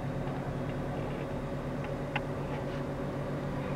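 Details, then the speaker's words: 2010 Suzuki APV Arena SGX, about 146,000 km, just started, air conditioning switched on: quiet, even idle with a steady low hum and smooth rhythm; normal, healthy idle. "Alhamdulillah di start up langsung nyala. Kita nyalakan AC-nya dulu karena ini panas banget cuacanya"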